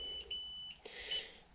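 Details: Xiaomi M365 scooter powering up: high electronic beeps repeating in short bursts, error 21. BMS communication fault, here traced to an unsoldered BMS-to-controller connector wire.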